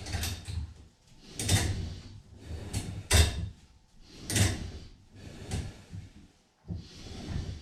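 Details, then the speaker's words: On a Total Gym Apex 1, a two-arm row on the slider is done with the cables crossed to add tension. Each pull, about once a second, brings a slow swishing scrape as the crossed cables chafe: cable rubbing noise, less smooth but not bad. "but it was a little noisy you could you can hear the uh the crisscross from the cables um so it wasn't the roll wasn't as smooth but it wasn't bad"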